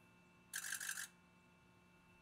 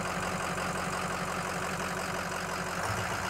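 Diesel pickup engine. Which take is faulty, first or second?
second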